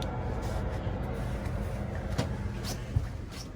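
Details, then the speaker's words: 5 kW diesel heater in a camping trailer, dialed down from full to setting three after warming up: steady, low, even rumble with no surging or popping as it calms and ticks over; normal running at low setting. "i'm gonna dial it down probably on three i think i'll leave it there so that we can see how this ticks over now hear that calming down already"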